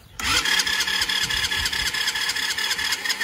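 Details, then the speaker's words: Old free quad (ATV) not run in years, starter fluid sprayed into intake: fast buzzy cranking with uneven puffs that never catch; suspected no spark, later spark confirmed and stuck floats suspected with no fuel at drain. "That sounds like no spark. I'll spray in a little bit more, and then if that doesn't work, we'll try pull the spark plug and see if there's any spark."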